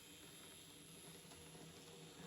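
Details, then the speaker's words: Micro Ace D52 model locomotive, unused for a while, running: faint fast gritty whirring with a rough grindy gear-train edge; owner suspects it needs running in, not confirmed. "It's a bit grindy. But then bearing in mind it hasn't been used for a while."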